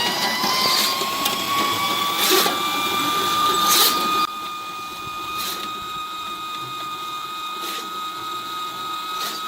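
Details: Spartan 1065 drain cleaning machine running its spring-wound cable through a backyard corrugated drain pipe; a steady motor whine with the cable slapping rhythmically about three times a second. Normal operation.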